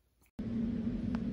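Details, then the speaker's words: Ender 3 3D printer: a harsh, steady buzzing grind starts suddenly and holds on as the Y-axis stepper keeps driving backward past the end of travel, because the Y-axis mechanical end stop switch broke. "So basically, my print bit did not know when to stop and kept moving backward when it had already reached the end. And that awful noise was the result."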